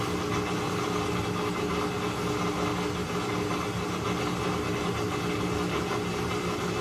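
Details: Maytag Centennial washer after actuator motor replacement (control board also faulted), running a normal cycle after calibration; steady even whir with low hum, no knocking or grinding, drum spins up and holds speed. Normal spin.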